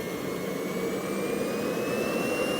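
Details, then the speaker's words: JetCentral turboprop turbine first start, test-fitted with a knowingly wrong-size propeller, over 5,600 rpm: a smooth rising jet whine with no surging or rattles, starting and running cleanly. "so it starts it runs I'm very happy"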